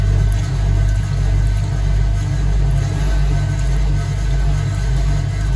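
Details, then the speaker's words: Vintage Hotpoint 1012 spin dryer under a full wet laundry load with the mat on: a steady low hum with a soft, even pulse about 105 times a minute, running smoothly. "Taking this back out of the washing machine, as you've just seen. Let's put this in. Mat on. Bring it up to spin."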